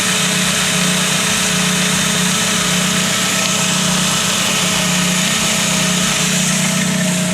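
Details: VW Gol G2 engine at idle, recorded from a distance: light, fast tec-tec tick about four per second over a steady idle, mistakable for piston knock or lifter tap; the cause is play in the water pump bearing.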